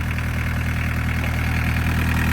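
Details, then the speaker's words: Barn-find VW Caddy pickup, diesel, off the road over 20 years: steady, even diesel tick at idle with a smooth unchanging rumble, not missing, just ticking away; no misfires or knocks, healthy. "That is exciting. It sounds perfectly fine, doesn't it? It's not missing or anything, it's just tickling I away."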